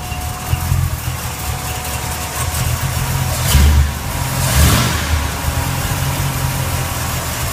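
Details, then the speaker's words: Truck V8 with reinstalled Holley 650 double pumper replacing a Quick Fuel carburetor, adjusted, restarted after cooling, coolant about 100, idling about 650: steady even low rumble with one brief swell, settles smoothly; normal healthy idle. "sounds like it did before coolant temperatures all the way down to a hundred"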